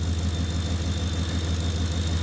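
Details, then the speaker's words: Ford F-150 at idle with heated seats, blower and high-beam headlights on, after field and communication wires were replaced: thin steady high whine, the alternator growing louder as it carries the electrical load. "you hear the little bit of whistle in that alternator it's working but it's holding"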